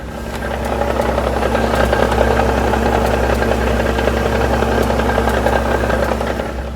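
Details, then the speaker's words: Nissan 350Z VQ35DE, warm idle after DIY JWT clutch and flywheel install, about 350 km on it; fast uneven rattle of three or four knocks a second, clutch chatter that goes away with light throttle, worse accelerating up to about 2,000 rpm. "that's basically the chatter"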